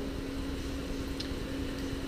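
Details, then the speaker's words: iMac (late 2009–2012) after replacing the hard drive with an SSD: loud steady rushing air and constant hum as the cooling fan runs at maximum speed without drive temperature control. "Well, actually it's the fan. The fan is blowing air at maximum speed, and it's very, very annoying, and it's basically impossible to use the computer with that noise."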